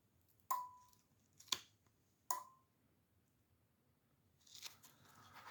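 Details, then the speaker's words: GE front-load dishwasher leak repair, tested outside the machine: the water-level air-pressure switch, fed air through its pressure tube and wired to an ohmmeter, gives three clean sharp clicks with short pings as contacts close; switch works normally. "I have the pressure line the air pressure line hooked up to a way to uh give it pressure you will hear the pressure sensor clicking on and off as I supply"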